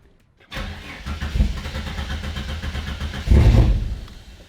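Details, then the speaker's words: Turbo Ford Fairlane first start on a new Haltech ECU: engine catches and runs lumpy, surging, never settling; running ridiculously rich, no idle control configured yet (wired to a DPI output), timing possibly out. "So we need to, if we do want to try to get it to idle, we need to figure out our idle control right now. It's running ridiculously rich."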